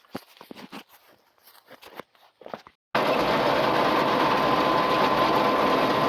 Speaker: Well, get out here, getting it baled. So far, this has been going good.